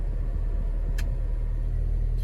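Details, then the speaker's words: Ford Fiesta with air conditioning switched off: smooth, steady low idle hum with no squeal, knock or rattle; engine idles evenly and healthy, unlike the noise that appears when the A/C is switched on. "o barulho do carro funcionando com ar desligado ó ar condicionado desligado motor sereninho"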